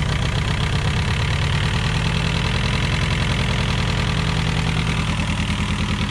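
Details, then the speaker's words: VW Scirocco MK2 ABF engine conversion on rebuilt Yamaha R1 carbs, first start; idle raised with the idle adjust screw and the distributor cap turned. Fast, even raised idle with a steady low beat, no misses or ticks; runs smoothly. "So that was me just turning the distributor cap. I'm probably going to have to play with that, but yeah, it runs. It sounds so good."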